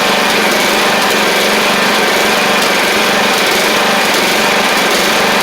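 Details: Troy-Bilt Pony 42X mower with Powermore engine, after carb work and WD-40/carb spray: runs but not perfect, small high, slightly unsteady buzz with faint flutter, having apparently shot out junk; rough running from leaking carburetor needle and seat.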